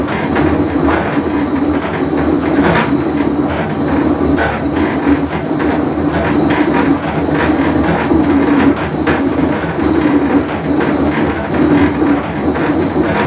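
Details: Whirlpool Cabrio washer with bad bearing, full wash cycle; heavy continuous rumble with droning note and uneven clacks as tub turns; tub bearing rumble.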